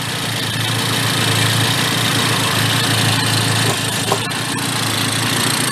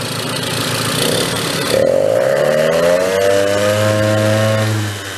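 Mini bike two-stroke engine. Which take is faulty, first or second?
second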